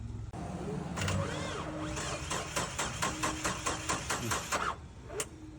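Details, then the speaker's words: Geo Tracker after valve adjustment, head bolt retorque and new valve cover gasket: starter drags slowly at about two labored turns a second without catching on a weak battery; a second battery was even worse. "My battery is not good. All right. Battery number two. No, >> worse than the first one."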